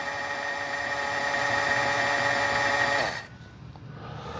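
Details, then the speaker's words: Boat motor being readied for first start, with new coil wires: even high electric whine for about three seconds then clean cutoff as the oil pump is actuated and primed; oil confirmed pumping, no leaks. "we got oil so we know it's pumping oil now"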